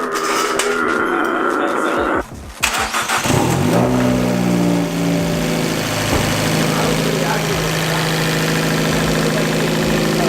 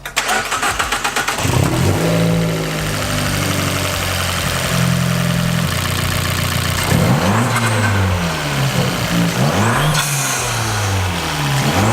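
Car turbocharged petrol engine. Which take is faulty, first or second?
second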